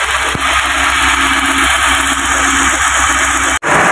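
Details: Car engine idling with faint uneven beat, jerking and lacking power, running on three cylinders; pulling plug lead one changes nothing, so cylinder one is dead; single-cylinder misfire, rough idle.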